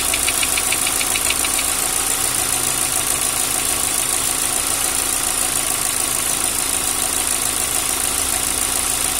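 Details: Fast light ticking, roughly three per second, over a steady idle; noisy hydraulic lifters (lifter tick).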